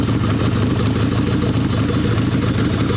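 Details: Evo Sportster chopper with a 1200 swap, final prep before its maiden ride: an even, loping V-twin idle with a steady low rumble and no ticking or knocking; the motor sounds healthy.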